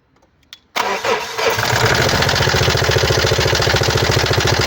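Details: 2017 Mazda CX-5 (GH) 2.2 diesel, SHY4 engine, 110 kW/150 PS, 152,302 km, catches and settles into a hard, even diesel clatter about 3.5 knocks per second, caused by faulty injectors and a faulty mass airflow sensor.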